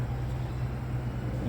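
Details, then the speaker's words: 2015 Mini Countryman petrol engine, 37,000 miles, new plugs and coils, idling unevenly with a low beat; misfire at idle with no ECU fault codes, power fine when driving; cylinder leak test traced it to a head gasket leak. "Pokażę wam jak wygląda test silnik nierówno pracuje na wolnych obrotach A co ciekawe nie ma błędów od misfire nie rozpoznaje przerwy w cyklu spalania"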